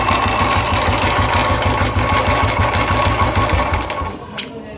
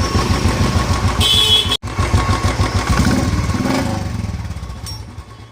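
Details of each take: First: Royal Enfield single, loud noise when cranking on the electric starter, then an intermittent steady knock about three per second while running, like something striking inside the engine; one-way starter clutch (bearing inside) suspected, broken rollers and spring. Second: Royal Enfield idling after repair of a starter (self) noise that previously sounded during and after starting: even, steady single-cylinder thump with no clatter or whirr from the starter side; normal idle.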